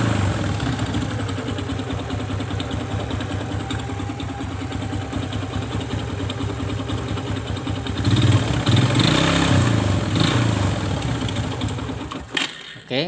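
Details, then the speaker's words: Kawasaki ZX idling: fast uneven clattering rattle inside the engine, louder on throttle blip; suspected loose timing chain or con rod/piston, not yet confirmed. "keluhan sepeda motor ini adalah di bagian mesin yang bersuara kasar entah itu bagian mana saya juga belum tahu ya"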